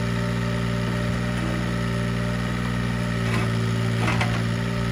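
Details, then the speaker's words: Mini excavator diesel, warm idle after the thermostat opened: steady, even low rumble, the squeak it always makes when cold having stopped, and no belt chirp; engine sounds healthy once warm. "this uh has always done this since i bought it and has not been an issue i'm setting up the camera now but you can hear that squeak and just suddenly stopped as soon as that thermostat opened"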